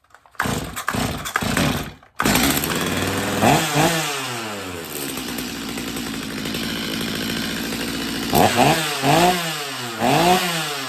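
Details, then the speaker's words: Stihl MS250 chainsaw after carb tuning, cold restart after sitting during chain sharpening: starts after a few pulls, idles evenly, then revs cleanly up and down several times without bogging; normal cold start and running. "all right so I've been grinding on chain for a good while so this this sauce is probably going to be cold now so I'm going to try to restart it and see how she does"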